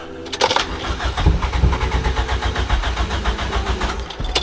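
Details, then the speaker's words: Compression test, cylinder four cranking with fuel pump off and gauge fitted: even regular chug, each compression pulse matching; reads about 148 psi, all cylinders 148–150 psi; normal cranking. "that's it perfect just what i wanted to see very close to one that's 148 perfect"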